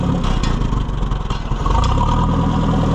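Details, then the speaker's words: Oliver 550 tractor at a slow, uneven chugging idle during a tune-up, just revived and still burning out carbon after a backfire: the idle pulses and nearly stumbles before steadying. The idle is set too low and risks stalling, so it needs raising. "I think it idle. I think he's got his idle too low. I want it to idle about there."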